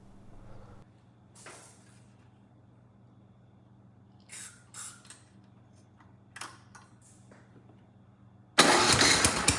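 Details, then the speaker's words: Troy-Bilt Storm 10030 snowblower, Tecumseh HMSK105 engine, long neglected, electric start after starting fluid: quiet hum and clicks, then engine catches and runs loud and strong on its own, choke off and throttled up; normal running. "again very nice kind of surprised it ran on its own and not only that it ran pretty well you know I could turn the choke off throttle the engine up and things sounded good"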